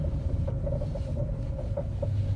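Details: 2012 Kia Forte: short high-pitched ticks come and go irregularly over low car rumble; steering-area noise persisting after new control arm, tie rod, ball joint and bushings; cause unknown.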